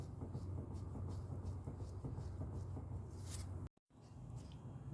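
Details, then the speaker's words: 2006 Mazda 3 2.0L with the vehicle on the ground and the right front wheel shaken by hand: faint, uneven low clunks. The loose inner tie rod also rattles and knocks while driving and on turns; inner and outer tie rods are to be replaced. "So even when the vehicle is on the ground and even if you do a drive park test or a drive park check, you can shake the wheel and I'm still still able to feel and uh to feel the play and to to hear the noise the the looseness in the inner tie rod."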